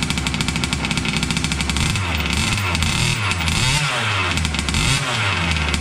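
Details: Losi 5T 2.0 gas two-stroke RC truck on VP fuel after about four to six months stored, primed and choked, started on the workbench up on tires: a buzz with crisp revs rising and falling under throttle blips, firing cleanly; normal running.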